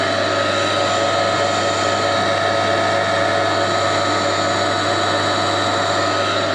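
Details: Newly acquired motor on a restoration project, crudely wired as it came, first test run: loud but even mains hum with steady whine, no rumble, rattle or scraping; motor and bearings sound healthy. A clunk follows as the centrifugal switch pulls back in.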